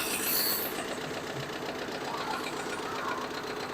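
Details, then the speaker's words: Mitsubishi MT25 Japanese mini tractor diesel, 43 engine hours, glow plugs preheated: starts almost instantly and settles into an even, steady, very quiet idle with light uniform clatter, no misses or surges; running smoothly and healthy. "запускаем трактор буквально завелся с пол-оборота работает очень тихо и ровно"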